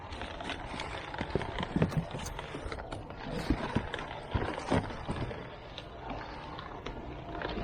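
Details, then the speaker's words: Electric shredder feeding a thick cardboard shipping box (tape removed): chunky crunches and thumps, motor pulling steadily without stalling. Normal shredding under load. "Let's see if it works. A little bit too wide. There it goes. Shredding up nicely."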